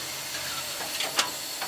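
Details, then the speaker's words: Preserved steam locomotive, drifter valve opened to admit steam to the front: steady airy hiss with short puffs and a brief surge, cutting off when closed; normal drifter valve steam admission. "now you're going to open their grifter valve you're going to open the Zelda lift it up so there's a little slots in it and pull it back right now we're allowing steam to go into the front do you hear the sound hear it close it"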